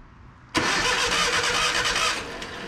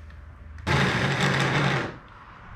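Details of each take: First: Abandoned 1980 Datsun 720, battery grounded straight to the engine and wired to the solenoid hot side: a sharp onset, then a fast, strong, even cranking whirr for about two seconds. Normal cranking. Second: Abandoned 1980 Datsun 720, second starter test on a jump pack: a short, strained whirring crank with a gritty, crunchy edge, spinning but sounding like it is barely hanging in there. Weak, crunchy cranking.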